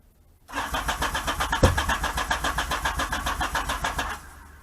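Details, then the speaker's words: 1978 Yamaha XS750 Special, first start attempt after a 3-week revival, fuel on, choke on: steady chug of the starter turning the engine about four times a second for several seconds, never catching; cranks but won't start. "That's not so promising."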